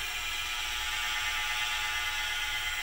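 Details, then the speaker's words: PM-25MV milling machine spindle at about 1,200 rpm, spindle bushing fitting tight: even steady whir with a light hiss, no knock or rattle; sounds great with no audible play at low rpm. "if I turn the spindle on its fired up the spindle sounds great there's about 1,200"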